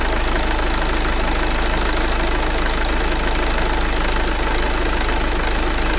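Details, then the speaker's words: 2009 VW Tiguan 2.0 TDI with a misfire issue, restarted after fault codes were cleared: a steady, even diesel clatter at idle with slight shake, no misses or stumbles; the idle is stable and the exhaust better than before. "he looks stable to me he's still shaking a bit but of course this is diesel but it's not that you remember before it was like okay that's that's a little bit the exhaust is better now"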